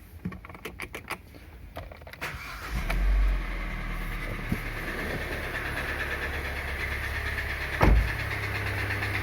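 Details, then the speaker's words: Kia Sportage 2.0 litre G4KD petrol engine, 160,000 km, before repair: starts and idles with a dull, uneven, unpleasant knocking; piston knock, a known weakness of this engine; piston slap knock. "вот такой звук издает мотор неприятный будем чинить"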